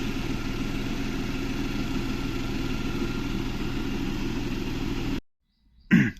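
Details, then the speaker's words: Renault Kwid petrol engine idling with AC on: low, lumpy throb as cylinder 3 misfires, rpm fluctuating about 800-950, check engine light on, low pickup and vibration persisting even after fuel pump replacement. "AC चलाती फट फट फ miss fire कर रहा है अच्छे से"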